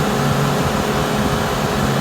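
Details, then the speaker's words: Suburban propane furnace that previously would not come on, after checking the sail switch and snap-disc temperature probe: with the thermostat calling for heat it fires with a blue flame. A steady, even blower rush and low hum with no rattles; running normally. "The thermostat's on the wall here. There it goes. Calling for heat."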